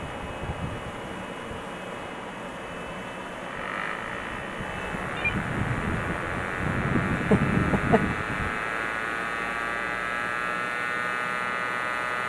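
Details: Compaq Deskpro with a Matsushita CR-588 10x CD-ROM drive, booting from CD: a loud, siren-like whine climbs steadily in pitch over the fan hiss as the disc spins up; a normal drive spin-up.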